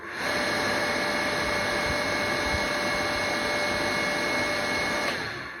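Smooth, constant high whine with no knocking or grinding, holding steady pitch for five seconds before switching off; motor sounds healthy.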